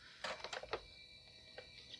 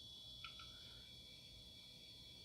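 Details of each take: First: IBM PS/2 L40 SX laptop (1991) at first power-on, leaking capacitors, blank display: hard drive spin-up then short light floppy head ticks and chatter, sounding like it's trying to boot. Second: IBM PS/2 L40 SX laptop from 1991, fed 12 V from a bench supply at first power-on: faint, steady high whine with soft ticks in a quiet room; hard drive spinning up normally.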